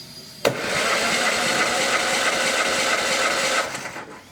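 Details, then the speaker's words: Compression test on cylinder two of an engine that sat for a while: steady even cranking, reads 150 PSI, 10 PSI different from cylinder one, a little much but not uncommon after sitting; healthy. "That one's right at 150. 10 PSI different from cylinder number one. That's a little much, but not uncommon for an engine that sat around for a little while."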